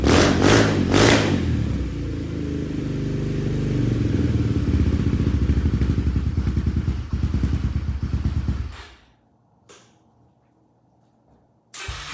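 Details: 2015 Yamaha TTR125LE single-cylinder first start after a top-end rebuild of a blown engine, with cam timing checked: it fires cleanly, revs and settles smoothly without clatter, then shuts off. Normal running.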